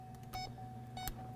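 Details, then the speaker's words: A/C electronic leak detector at highest sensitivity, blower on low, system at 15% charge. A steady tone with slow, evenly spaced baseline beeps and only one light on means no leak found. "you could hear it beeping now that right here means we don't have a leak you can see the light is only on one okay"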